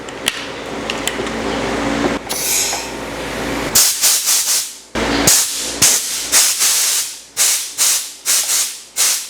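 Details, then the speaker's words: Air duster on high-pressure hose from Powerhouse 1 hp oil-less compressor: sharp hissing bursts under a second, switched on and off repeatedly; blowing normally. "this is called a air duster ginagami detail if you have if you want to spray on dusty areas of your machines or tools or your project para la malines"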